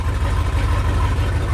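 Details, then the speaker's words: Lifted bullnose Ford truck V8, first run on its own after sitting almost 4 years, carburetor cleaned, jump-started from another truck: deep, steady idle with even low burble, no stumbles or misses; runs healthy. "right up and honestly I have to say it's probably the best the Ford has ever ran it"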